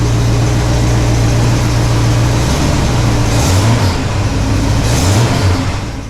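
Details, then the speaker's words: 1968 Pontiac LeMans V8 on its original single exhaust before a dual exhaust install; steady fast idle, then two quick throttle blips rising and falling cleanly, sounding healthy. "I mean, it's not bad. You can hear it. When you're in the car, you really can't. This is me revving it up a little bit."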